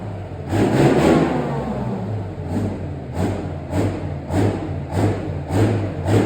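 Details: Replacement engine for Farmer Phil's Chieftain tank, test-run before fitting: a big diesel with a deep steady beat, pulsing rhythmically as the revs rise and fall; sounds healthy and even.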